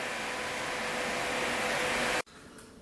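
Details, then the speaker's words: Cooling fan on Kawasaki KZ 650cc shifter kart motor: steady even whirring rush with faint constant tone, no rattle, then cuts off cleanly; running normally. "but um yeah seems like it goes pretty good"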